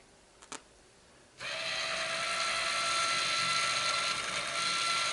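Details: Small motor spins up to a steady even high whir with light gear buzz, no grinding, when testing a new Minn Kota GPS saltwater trolling motor turning head housing after replacing the rusted, grinding, locking old one; runs smoothly.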